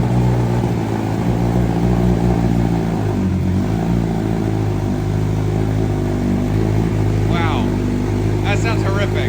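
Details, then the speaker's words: 2023 BMW M1000RR Competition, completely cold first start after exhaust mods with the ECU not yet flashed and errors showing: blatty, uneven, flat raspy rumble that hunts before settling, rough idle from untuned fuelling. "horrific that sounds real bad again that's with no tuning on here it's finally settled down now but man that was horrific the way that started up it's it sounded like a giant fart the entire time it sounded horrible"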